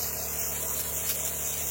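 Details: Chemical spray pump rig after tightening a fitting to chase a suspected air leak that dropped chem line pressure: steady hissing spray with a brief spit as the line switches from soap/chemical to water, which is normal; pump running normally.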